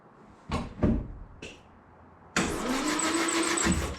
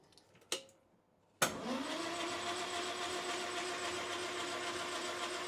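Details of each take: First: 1968 Land Rover Series 2A 2.25L petrol, unstarted for about 30 years, with rebuilt carburetor and fuel pump, new plugs and HT lead: short starter bumps then steady quick cranking with no firing. Good spark is confirmed and it just needs fuel; cranks, no start. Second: 1968 Land Rover Series 2A 2.25 L, unstarted about 30 years, rebuilt carburetor and fuel pump, cranking with spark plugs out to build oil pressure: quick even whir, no knocks or binding; turns over freely.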